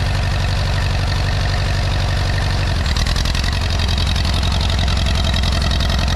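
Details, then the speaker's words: 1957 Allis Chalmers B-series tractor, first start after sitting a couple of years in snow: old engine chuffs unevenly, beat stumbling and shifting about three seconds in; rough running, cranky from long storage, needs more run time. "she needs to be running a little bit more because she's a little bit cranky because she hasn't been running a long time"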